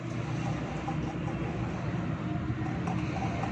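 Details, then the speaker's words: Newer-model car, rear wheel bearing with cap, cup and lock removed, hub turned by hand: steady low rumbling drone with gritty edge; bearing dry and starting to seize, causing hum throughout the car; to be replaced. "ये बैरिंग फंसना शुरू हो गया है। तो दोस्तों इसकी वजह से पूरी गाड़ी में गूंज थी, तो इसको अभी हम चेंज करेंगे।"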